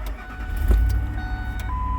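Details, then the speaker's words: Truck "Blue" after fuel filter replacement and three fuel pump primes: quick start into a smooth, steady low idle with no misses or knocks; running like a top. "and there he is he running like a top"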